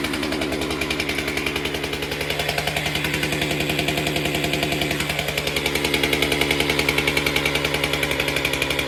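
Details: Stihl MS462 chainsaw after service with a new fuel filter and cleaned air filter, started before the calibration reset: fast, steady two-stroke burble with crisp, even firing and a slight pitch shift; running healthy.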